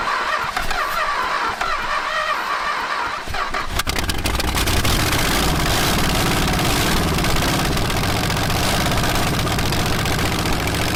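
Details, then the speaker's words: 1961 Chrysler junkyard-parts V8 with no exhaust and loose manifolds: open, loud bark catches after a hissy lead-in, beat lumpy and uneven, suspected running on about six cylinders; no bad noises or smoke. "Well, you got a good motor. >> Sounds healthy. >> Yeah, it's running on like six probably. >> Yeah. Manifolds are loose, too. So, that's kind of why it sounds so poor."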